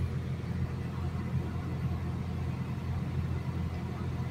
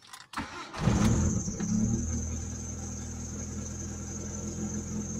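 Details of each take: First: Mitsubishi Lancer Cedia automatic, which used to stall after starting and showed no check-engine light. After repair it idles smoothly and evenly at a steady 900 rpm with no knocks, ticks or misses, staying stable with the A/C switched on and off. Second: Mitsubishi Lancer Cedia automatic, no check-engine light, dies after starting: engine fires, RPM rises and falls through a shaky idle, then stalls; stalling traced to a dirty throttle body.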